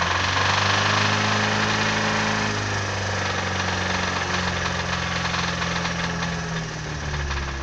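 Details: Nissan Sunny GTI SR20DE, recorded from inside the cabin, quiet at 1000 rpm: as revs climb, a hard, rapid knocking (about four a second) rides over the engine and grows; cause unknown to owner, engine knock.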